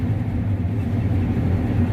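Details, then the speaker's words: John Deere combine after a new sprocket was fitted and the chain slightly tightened; that chain may possibly have been the squeak: deep, steady rumble with no squeak or chirp, chain drive quiet and healthy. "I can't believe that's what was squeaking, but I suppose it's possible. But I don't hear it now, so good."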